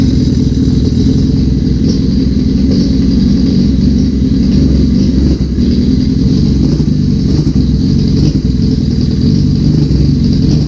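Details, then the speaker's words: 1981 Suzuki GS650GL during rebuild, first start with fresh battery, plugs, oil and pod filters: steady, even low exhaust burble at slightly raised choke idle, no knocks, misses or stumbles; runs cleanly, small carb leak suspected. "Let's give this some choke. Let's start it. I've got battery, everything's fresh. I put pod filters on just to see. Oh! Oh man, we are running."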